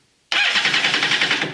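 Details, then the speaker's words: 2013 Kawasaki STX-15F jet ski with lanyard fitted: quick even starter cranking, steady and strong, and the fuel pump runs; normal cranking before fuel is added. "Alright, we have crankage and we have fuel pump."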